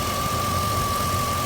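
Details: 1999 Jeep Grand Cherokee WJ 4.7 V8, warm (about 195–196°F), slightly rough idle: uneven lumpy rumble with a steady high whine. No misfire codes, no vacuum leaks, new injectors and plugs, normal fuel trims; owner suspects a bad power steering pump.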